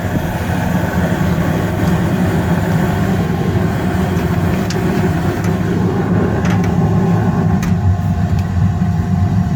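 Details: Newly installed furnace that had flames dropping out, blower just started after the burners lit: a steady, even low hum and air rush with no knocks, rattles or squeals; the blower is running normally.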